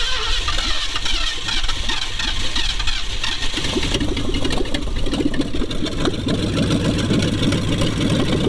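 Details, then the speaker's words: 1966 Mustang 289 V8, abandoned over 20 years, first start without gauges: rough, uneven idle with loose chattering ticks; noise unidentified, oil pressure only assumed. "she's alive [Music] and what's that sound i have no gauges hooked up i'm assuming she got pressure"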